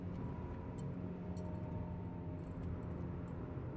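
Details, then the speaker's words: Vehicle driving at speed: a low, steady droning hum that grows louder when steering slightly left. The right wheel bearing is suspected, not yet verified. "the noise gets a little louder. So I'm thinking it's the right wheel bearing."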